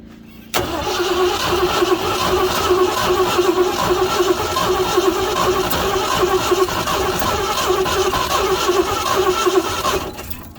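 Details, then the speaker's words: 1969 Ford F100 that sat for years in the weather with no hood and a slightly stuck engine cranks steadily without firing; plugs may be oily and probably need more gas on them. Cranks but will not start. "It's been a while, and the plugs may have some oil and stuff on them from what I just did. We probably need to coat them plugs a little bit more with this gas."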